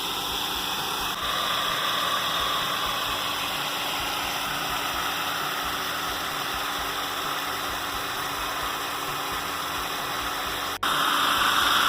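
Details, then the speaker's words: Homemade centrifugal water pump (shaft threaded and superglued, motor-driven) running after priming to purge air, discharging through elbow back to pond; steady rush of water over even motor hum, no knocking or surging, strong flow; normal running. "Pessoal, acho que agora a gente achou a configuração ideal da nossa bomba. Olha só que top, galera. É muita água."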